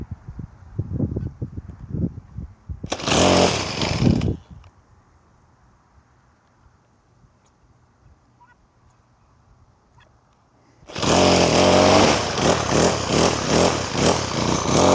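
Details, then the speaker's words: Troy-Bilt TB6044XP 4-cycle trimmer after carburetor replacement, purge bulb pressed: pull-start rattles, brief run, then it fires and holds a steady buzzing run with a little throttle; normal running. "Fire it up. That was a good sign. Let's give it a little bit of throttle."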